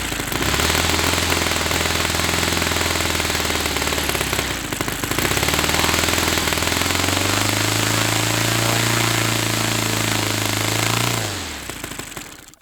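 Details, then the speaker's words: Saito FA-300T twin glow engine, cold start on original glow plugs that were checked glowing: rough lopsided popping drone sagging and climbing with throttle before dying; running on one cylinder, cause unknown. "So I'm not sure why this cylinder wouldn't be running. This was the only one that was running."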